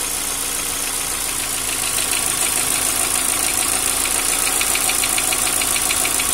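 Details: Engine at steady idle: quick, light, fairly even ticking about three times a second, typical of noisy hydraulic lifters.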